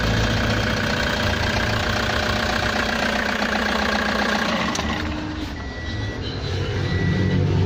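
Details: Toyota Hiace diesel with a no-crank fault, running after being started by shorting the starter relay; steady, even clatter at about three to four beats a second with no misses. Fault traced to a broken wire, not the battery, starter or relay.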